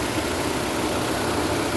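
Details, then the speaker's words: 2007-2012 Nissan Altima after replacing the upper exhaust manifold catalytic converter assembly and gaskets: steady, even idle hum with no puffing or ticking from the manifold; earlier exhaust leak gone, normal idle. "okay y'all got it cranked up everything sounds good as you can see from here good no more exhaust leak no more hearing that exhaust leak everything sounds good"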